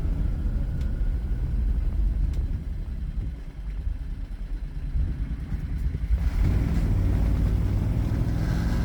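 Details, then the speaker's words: 1969 Renault R10 (1,800 lb) with a 670cc 25 hp Predator two-cylinder engine, CVT and newly fitted dual 24mm OKO carburetors, driving with a deep, even twin drone pulling steadily under road noise; runs clean under load. "I'll shut up and let you guys listen to The Glorious two-cylinder engine sing"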